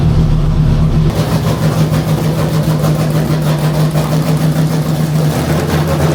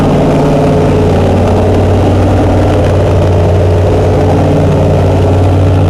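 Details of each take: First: Chrysler 440 Six Pack V8 with triple two-barrel carbs, during warm-up test: uneven loping idle and lumpy low exhaust beat, dead cylinders, running rich; a damaged carb gasket was later found. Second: Chrysler 440 Six Pack triple two-barrel carbureted V8, after replacing a damaged gasket beside the power valve: deep, steady idle with strong low hum and even beat, no misses or knocks; normal idle.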